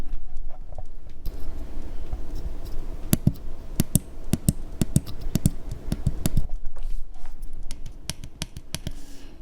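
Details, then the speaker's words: Vintage synthesizer micro-switch push button after in-place contact spray, mechanical cleaning and plastic reheated with a soldering iron at 250°C: soft, even clicks, quieter than others due to grease, but contact works like new. "Not so much like the others, but that's because of the fat. But the most important thing that the contact is working like new."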